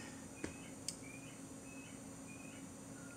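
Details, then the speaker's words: Yorkville E10 speaker after replacing its blown horn, reassembled and hooked back to the amplifier: a soft steady hiss from the horn over low hum shows the high end now works. "hooks it back up the amplifier and right away you can hear that horn hissing that's a good sign we've got lots of top in"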